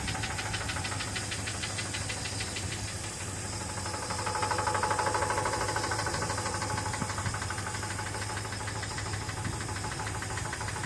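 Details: 1973 Ford F350 with 390 V8, running after jump pack: fast steady knocking about three beats a second under the idle; suspected timing chain slapping in the case, to be replaced with a carb rebuild.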